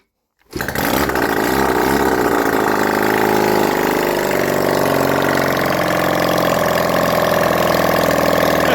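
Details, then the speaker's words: Honda CD175 barn-find restoration, engine just refitted after timing set, kick-started: catches and runs with loud open-pipe popping beat, uneven at first then steady idle, exhausts not fitted; normal running. "but uh she's running guys"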